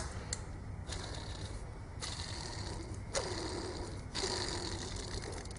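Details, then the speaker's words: Nearly new angle grinder, hand-spun after only three to four uses: dry, gritty rasp with uneven ticks as it coasts down. The bearing is already worn. "this one's super noisy"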